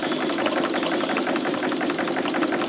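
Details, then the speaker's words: Bolton 9 triple-expansion model steam engine running on a homemade vertical boiler after recent ring replacement; quick light chuffing with slightly uneven rotation; owner suspects valve timing on the middle cylinder was altered. "And as you can hear, the triple's going okay, although I did some work on it recently, changing the rings, and I think I must have altered the steam timing on the middle cylinder,"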